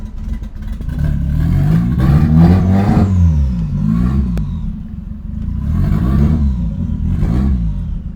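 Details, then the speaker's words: 1989 Toyota Corolla small body, revving with an uneven, stumbling note that surges and sags instead of pulling cleanly, persistent misfire with backfire on starting; owner suspects an electrical problem. "meron pa din guys may ano may parang may parang may plema parang kumbaga sa lalamunan hindi smooth yung daluyan"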